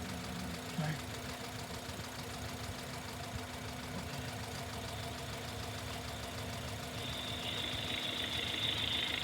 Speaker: basically we have a running engine here and you can hear it and uh it really doesn't sound anything abnormal if this engine were in your bay